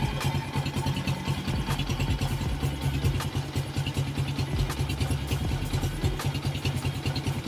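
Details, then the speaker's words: 2003 Honda Wave Alpha 100cc, first start after overhaul replacing a loose countershaft transmission bearing: soft, even single-cylinder putter at idle under background music, no knocks or rattles; engine very quiet and healthy, only the loose handlebar is slightly noisy. "Pati dito sa chasis pero yung makina sulit napakatahimik na medyo maingay lang yung manela kaya makalog siya"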